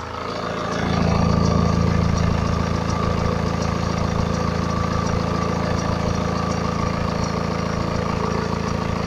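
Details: 2011 BMW 318d, N47 diesel, 178k mileage, fresh oil and belt change, cold engine settling to idle, phone recording: faint fast rattle over the diesel clatter; owner suspects timing chain, unconfirmed.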